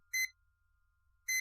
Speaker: But it's blinking and displaying two L's which actually indicates that the 12V voltage is low. In fact, it's saying that the 12vt voltage of this power supply is low or doesn't exist.